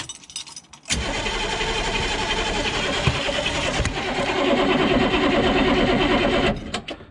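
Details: Humvee diesel after valve cover gasket, intake and fuel line work: steady starter churn about three turns a second for several seconds, never catching, with injector lines loosened and spitting fuel to bleed out air.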